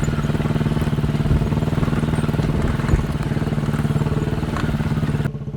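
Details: Chinese 200cc Honda-clone quad bike after spark plug replacement: steady single-cylinder thump at idle with even pulses, no stumbles or misses; normal running, misfire fixed.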